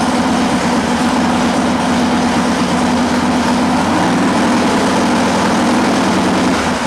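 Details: Harley-Davidson Sportster idling during a charging-system check with a multimeter on the battery (12.99 V before start): a steady, even rumble with no misses, knocks or rattles. Healthy idle; charging looks good.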